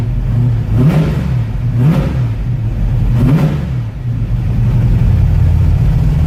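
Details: 1969 Ford Mustang V8, in neutral, first start in about six months: deep, strong rumble with three crisp revs that climb and fall back cleanly to a steady idle; no hesitation, healthy.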